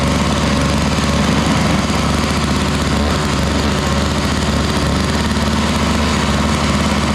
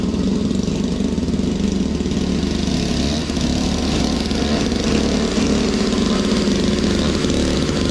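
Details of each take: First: Toro Powerlite single-stage snowblower, model 381182, 98cc two-stroke, just started cold: steady buzzy drone with slight unevenness; needs warm-up time but runs fairly well. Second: Toro Powerlite single-stage snow blower, model 381182, 98cc two-stroke, warmed up; clearing sidewalk snow, steady even drone holding speed under load, no surging or missing; normal running under load.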